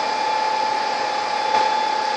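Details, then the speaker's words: HP C7000 blade server render farm with 12 BL465c blades, about 1.2 m high, housed behind the house: a steady, even high-pitched fan roar with a fixed tone near 850 Hz, no surging or rattle. Normal fan operation. "so this machine sits out the back of the house as you can hear it makes a little bit of noise and this is what they call a HP blade server"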